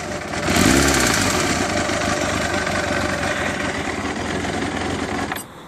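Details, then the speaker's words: Engine with a fault since December, suspected in the cylinder head or timing: silent at idle, then a loud, fast metallic clatter above roughly 1000 rpm that grows with engine speed; cause unknown. "donc là vous pouvez entendre qu'à priori on n'a pas de bruit mais par contre dès que je vais augmenter le régime on entend un claquement assez fort"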